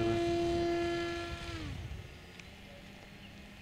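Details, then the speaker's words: Bullet v9.0 RC trainer plane, pusher motor and prop, weight reduced and CG improved, in flight at full throttle after half-throttle cruise: a clean, steady motor whine holds its pitch, then falls smoothly as the throttle comes off; healthy full-throttle run, no longer angry-sounding. "we'll turn it up now and see if it make if it still sounds angry or not just feeling it out Full Throttle"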